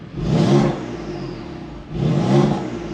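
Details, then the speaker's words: BMW F87 M2 Competition with a modified mid-pipe and a Mosselman iControl Pro module, exhaust flap opened via the steering-wheel rocker while in efficient mode: two quick stationary throttle blips rising cleanly and settling. Normal exhaust rev with valve open. "so definitely have that exhaust flap open even though i'm in efficient mode"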